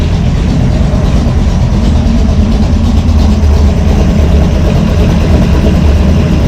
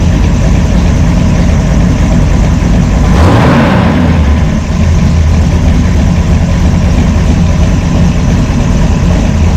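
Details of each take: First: V8 with a Brawler 650 CFM double-pumper carb, timing 16° initial and 36° total, one idle mixture screw turned fully in: a deep idle that lopes and stumbles unevenly. Idle mixture far too lean. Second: Brawler 650 CFM double-pumper carb, timing 16° initial and 36° total, idle mixture screws tuned by vacuum gauge to peak vacuum: a deep, loping cam idle holding a steady rhythm without hunting. Normal idle.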